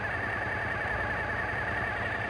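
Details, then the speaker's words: Suzuki V-Strom 650 twin during TPS adjustment and throttle-body cylinder sync: steady even low rumble with no misses, idle holding flat; normal idle. "Check our idle, we're sitting good."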